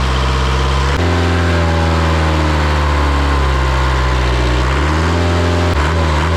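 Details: Isuzu 4-cylinder 60 hp diesel from an air compressor, just revived after bleeding the fuel system. Steady, even drone at high idle with a brief speed change, running smooth and clean with no smoke; normal high idle.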